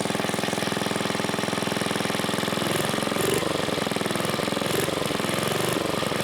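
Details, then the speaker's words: 1980s Onan generator after carburetor cleaned with carb cleaner, started on choke: quick even single-cylinder putter at steady speed, no surging or hunting; it was just clogged, kill switch works. "Oh my goodness, it works. Kill switch works. So yeah, it was just clogged up a little bit."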